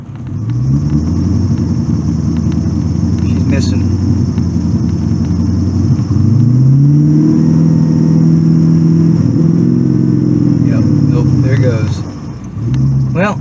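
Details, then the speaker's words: 1984 Corvette with Crossfire twin throttle-body injection, warm at 150, rev test to about 4000 rpm: climbs cleanly, then falters and sags near the top; persistent fault with cause still unknown, speedometer sensor compatibility suspected. "I'm gonna try the Rev test if it doesn't rev well there's no sense in going for a ride"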